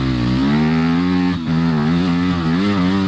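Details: Yamaha dirt bike riding trails after replacing the triple clamp steering bearings: clean engine note rising and falling smoothly with the throttle, no knocks or rattles; healthy under riding load.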